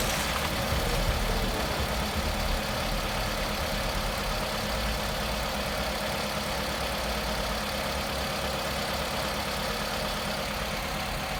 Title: Камри стук на холодную 2